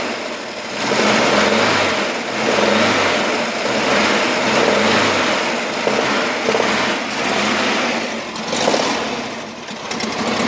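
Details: VW Camper 1600 TP air-cooled engine on cold start: gentle rev swells with rough clattery knocking, which goes away when warmed up; not fan or alternator related, cause unknown.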